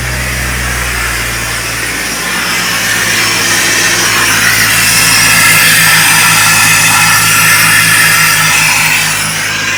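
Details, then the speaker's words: Jeep XJ first start after parts swap from totaled Jeep, idling: steady loud hiss over low engine hum, like the world's worst vacuum leak, seemingly around throttle body; later found a vacuum leak. "What was that? What sounded like the world's worst vacuum leak?"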